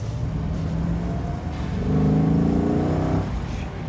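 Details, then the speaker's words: Restored muscle car with rebuilt 1972 replacement Hemi V8 on dual four-barrel carbs, driving under throttle: deep rumble climbs steadily in pitch, then eases off; smooth, strong, no misses or knocks. "That sounds good. Oh, I love God, that's that dual fours, man. Nothing like it."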